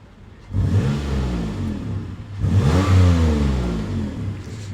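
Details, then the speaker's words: 2008 car, gently revved, not hard. Two smooth throttle blips, revs climbing and settling evenly with no knocks or rattles; the engine sounds healthy. "what we'll do is a little rev test I'm not going to rev it hard um anything like that but it sounds absolutely lovely have a listen"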